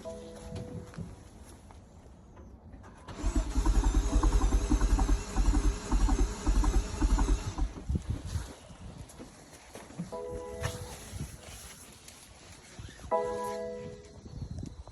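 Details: 2018 BMW M2 with N55 engine: starter cranks steadily about five seconds but engine never fires, then dash chimes twice; crank no start.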